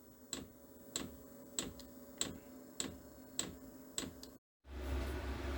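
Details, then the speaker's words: New cheap Chinese diesel air heater powered by a computer ATX power supply, first startup after glow plug preheat: crisp fuel pump ticks about every 0.6 seconds, then the fan speeds up; normal. "Oh, I hear the fuel pump clicking. The ventilator starts running faster. I really think this is good news."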